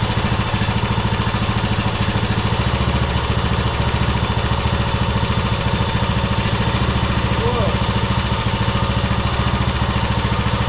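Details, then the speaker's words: 2009 Craftsman YTS 3000, 21hp Briggs & Stratton twin with fuel-thinned oil: idles unevenly with a ragged stumbling beat and heavy blowby; cause not confirmed. "Well, we still have a whole bunch of blowby. Oh, it's just starting to stumble here. I thought I was going to die."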